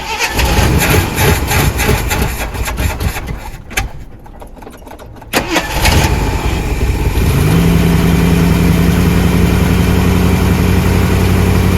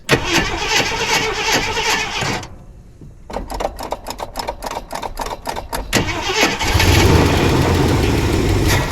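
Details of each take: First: 1979 Jeep Cherokee, AMC 360 V8 with Quadra-Trac 4WD, after sitting 3+ years; carburetor choke stuck. Uneven cranking and coughing, then it catches and settles into a steady, even hum; normal start and idle. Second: 1979 Jeep Cherokee AMC 360 V8 after sitting 3+ years, fed from a plastic gas jug because the tank has holes. Steady cranking about four turns a second, then rough running; stalls after starting, owner blames low, bad-looking fuel.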